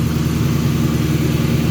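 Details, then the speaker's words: 1998 Ford Mustang GT 4.6L 2-valve SOHC V8 running after alternator replacement: steady low drone with no squeal, whine or rattle; old alternator made a racket, now the alternator area is quiet and healthy. "at oh it's nice and quiet up here the old one was making a hell of a"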